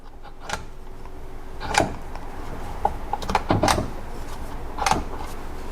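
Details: Jeep Cherokee XJ/Comanche MJ 231 transfer case on bench: distinct sharp clicks each time lever is swung through positions, detent spring plunger snapping in properly as it should.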